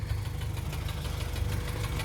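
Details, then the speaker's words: Rod knock on an Acura Integra junk swap engine (replacing its B18B1) after a 4-hour drive; quick, regular deep knock under a rough idle that goes away when revved and then returns; engine still runs, transmission fine. "And then the knock goes away when you rev it, but, you know, and then it comes back. But, yeah, so we got a knock-in motor."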